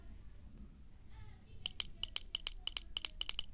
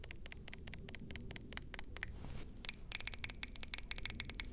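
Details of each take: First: BMW VANOS solenoid bench-tested after resoldering a bad joint that caused rough idle and loss of power: crisp, sharp clicks, about a dozen in two seconds, solenoid operating properly. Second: BMW VANOS solenoids removed and pulsed on a 9-volt battery before cleaning, car had rough idle, power loss and shaking: sharp, thin clicks about five per second, valves barely snapping, some weak or dead; sticky VANOS solenoid valves.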